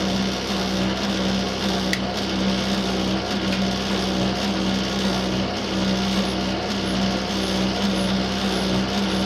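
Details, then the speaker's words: Faulty tumble dryer, already seen once by an engineer who is due back, running: a loud, constant rumble with a steady low drone and rough mechanical rattle that the owner calls dreadful and not right. The owner wants it rejected as faulty. "can hear a rumbling noise. There it was. Obviously this is not right."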